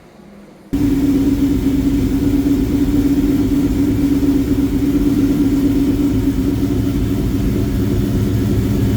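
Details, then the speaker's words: 2003 Ford SVT Cobra Terminator V8 with a Whipple 3-liter supercharger, aftermarket pulley, American Racing headers and Bassani exhaust, after motor work: starts and settles into a strong, even idle; supercharger whines a little at start-up, sounds healthy. "When I was first starting it up, you could hear it whining a little bit. It sounded really good."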